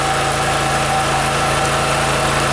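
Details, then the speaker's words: OKAY inverter generator, 2.5 kW max, 2.2 kW rated, carrying about 1000 W of load with a light bulb on: steady even hum with a slightly deeper working note, running smoothly without hunting; normal running under load. "We turn it on so that it, here it is, the light bulb is on, it perceives 1000 W now."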